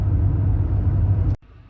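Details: Chery Tiggo 8 Avantgarde cabin on pavement, tyres inflated to about 34–35 psi and at about 37–38°C: a steady, even low tyre rolling rumble without thumps or whine, then it cuts off. This is normal tyre noise.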